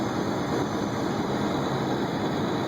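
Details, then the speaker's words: 1998 Jeep Grand Cherokee driving: loud raspy drone from under the cabin beneath the driver's seat, steady while cruising and much louder than normal; exhaust pipe cut off right after the engine, leaking. "loud, because it's basically coming out of the engine and it's cut, you know, right underneath the driver's seats, basically. So it's pretty loud."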